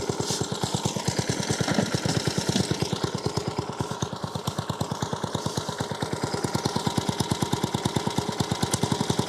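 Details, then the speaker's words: Vintage reel lawnmower, small single-cylinder engine started from cold after cutting-drum bearing replacement with shimmed bearing blocks: even, steady putter, reel spinning quietly with no more grinding or grating; normal after repair. "it's a hell of a lot quieter than what it was the drum is spinning now and yeah it's not giving that whole grinding grating noise"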